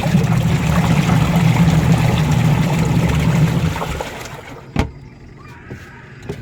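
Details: Newly installed replacement 150 W washing machine wash motor with 10 µF capacitor, after the old motor was noisy and humming: smooth, even low hum for about four seconds, then quiet wind-down; the new motor runs healthy.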